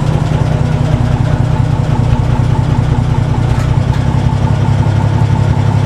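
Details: 1961 Ford Falcon at idle with the muffler rusted off and the exhaust manifold barely hanging onto the cylinder head: a loud, raw, unmuffled deep rumble that blats at the low end; exhaust leak and missing muffler.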